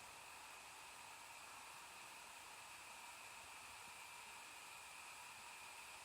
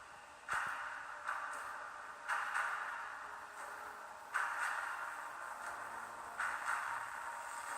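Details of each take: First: MSI GS72 6QE laptop in sport mode, gaming power profile, after a 100% CPU load test, CPU at 43 degrees: steady soft airy hiss of the cooling fan at full speed, near 7000 RPM, no rattle; normal, while audio stays dead from heat. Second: MSI GS72 6QE laptop about 11 minutes from cold start under gaming load, speaker audio thin, harsh, bass-less and breaking up in bursts before cutting out entirely; owner suspects an overheating motherboard or sound card part, returns after cooling.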